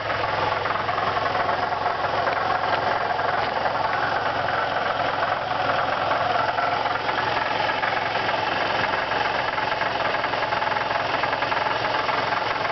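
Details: 2002 Nissan Maxima V6 at idle: a fast, uneven under-hood metallic rattle about three or four per second, louder as the engine warms; compression 180/175 on all cylinders, oil pressure light off; source not pinned down.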